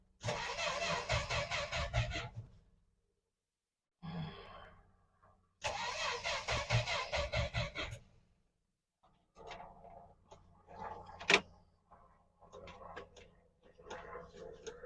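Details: 1963 Dodge Dart not driven for a long while: starter turns the engine in bursts of about two seconds with a steady chug, but it never catches; crank, no start.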